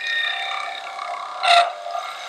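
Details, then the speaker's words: Wood lathe turning a mushroom stem, tool extended 1.5–2 inches past the tool rest: thin steady squeak then brief scraping burst, signalling the tool is at its usable limit and producing chatter cuts. "you can hear the squeaking that's telling me that I'm on the verge of where this tool is usable because I'm a good inch and a half 2 in out over the end of the T rest"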